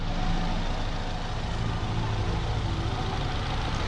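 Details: 2006 Nissan Sentra after cooling system overhaul near water pump and idler pulley for a bearing noise, refilled with blue coolant: deep, even idle right after start-up with no squeal or bearing growl; normal idle.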